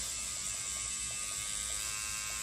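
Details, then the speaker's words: Neuma 4 rotary tattoo machine, 9-volt machine run between 5.5 and 9 volts, stepped up through the range: steady high buzzing whirr with even pitch, smooth coil-machine-like hum, normal healthy running. "he just has that nice coil machine hum so I'm thrilled with it absolutely thrilled really no complaints"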